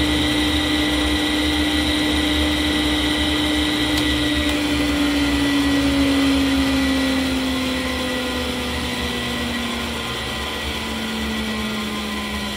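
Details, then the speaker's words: Fujitsu M2294NU 14-inch Winchester hard disk from a Paintbox powering down, suspected bad bearing: steady whine sliding down in pitch as platters coast to stop, even and quiet; not particularly noisy. "Okay, I think that was a fairly reasonable uh reasonable test. Um doesn't sound particularly noisy to me, that."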